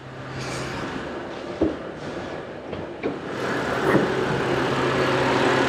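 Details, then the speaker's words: BMW E92 325i N52 manual: idling engine with a steady low rumble/rattle underneath, owner fairly confident it's the dry drive belt tensioner/idler pulley bearing, fan also suspected. "so it's that noise that hopefully you can hear now and i'm fairly confident it's the dry belt tensioner"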